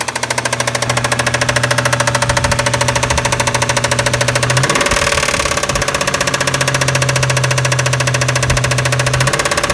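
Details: 1996 Toyota Tacoma 3.4 5VZ-FE at idle: a loud, sharp, steady metallic tapping, about 160 per minute. Compression is good; coil packs, wires, plugs and injectors were replaced. Owner suspects rod knock, still undiagnosed. Engine tapping.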